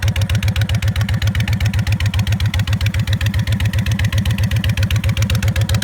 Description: Odd ticking noise that comes and goes on my 2006 Honda VTX 1300C